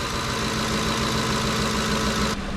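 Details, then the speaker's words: 2010 Ford F-150 5.4 Triton V8 after intake O-ring replacement for a coolant leak, first start: steady, even idle with smooth low rumble and no hiss, stumble or miss; idling fine, apparently no leaks so far. "we're going to keep our eye on leeks sounds like it's idling fine so i don't think we have any mint leaks"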